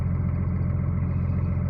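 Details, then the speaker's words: Cummins diesel after reassembly with new conrod small-end bushings and new piston pins: steady, even low idle with no knocking or ticking; healthy after repair. "но никакого стука нету все замечательно"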